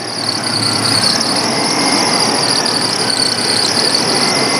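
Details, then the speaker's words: 1994 Chevrolet Astro van, warmed up after an EGR valve replacement. A steady, constant-pitch high squeal rides over the idle. Belt or pulley squeal; the source is not yet pinned down, though the alternator is fairly new. "squeak came back so i'll have to troubleshoot these angles one at a time one of these with new and it's a fairly new alternator"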